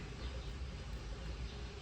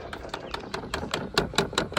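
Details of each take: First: 2012 or 2013 Dodge Grand Caravan after replacing the rear air mix (blend door) motor, temperature swept on the front and rear controls: only a soft, steady hum with no clicking. Repair successful, actuators working normally. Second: Dodge Grand Caravan rear AC box air mix (blend door) motor clicking rapidly and steadily, two or three times a second, behind the rear trim panels after switch-on; the motor is faulty and gets replaced.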